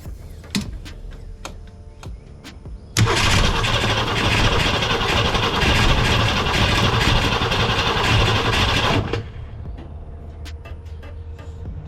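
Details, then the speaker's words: Ford Falcon with new starter, carburetor, cap, rotor, points, condenser, plugs, wires, coil, battery and solenoid: steady rapid cranking for about six seconds that never fires; crank no start, coil firing unverified. "spin it over faster let's see if we can put a little bit of gas in it and see what happens"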